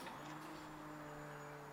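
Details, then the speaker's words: Turbo EK Honda Civic being started after months of neglect, key-on with engine off: faint steady electric hum of constant tone from the fuel pump priming; normal fuel pump priming. "You hear that? That's the gas pump singing."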